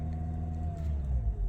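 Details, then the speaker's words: Hybrid car, claimed most fuel-efficient in Indonesia, at full throttle: only a low, even rumble and mild steady hum, no hard roar like a conventional car; normal for this hybrid. "Jadi walaupun udah saya injak pol, nih, saya injak pol nih, dia nggak akan ngeraung kayak mobil biasa teman-teman, beda"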